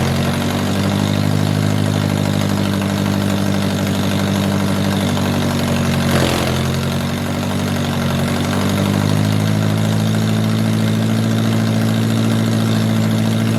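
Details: 1978 MG with 1.6L Miata engine in a cold garage, after idle air control valve delete to fix a vacuum leak. Steady, even idle sitting a bit high while cold, no miss, tick or hunting; healthy.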